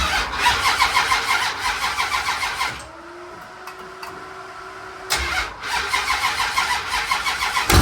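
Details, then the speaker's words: First fire-up of a freshly built 500ci big-block Mopar (440-based) in a 1969 Barracuda: cranking, then the V8 catches with a sharp ticking pop on each firing pulse; exhaust leak at the last header tube, headers smoking hot. "You got an exhaust leak. What? Yeah, this last tube. I heard it. It was like a popping."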